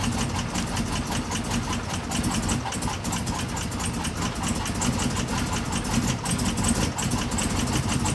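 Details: 2016 Chevrolet Camaro LT1 V8 with cam, out of warranty: lumpy uneven idle with irregular stumbles, first suspected as bad gas; pulling coils one by one made no difference; misfire from a cracked valve spring.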